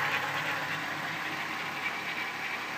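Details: 1994 VW Golf VR6 at quiet idle with a steady metallic clatter and no clear beat; early timing chain noise caught before it got bad, chain to be replaced.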